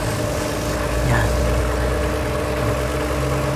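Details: 2022 Toyota Avalon after repair of a cylinder 5 misfire code and an idle fault, injectors cleaned: steady, even idle with a smooth low hum and no stumbles or knocks; misfire gone, normal idle.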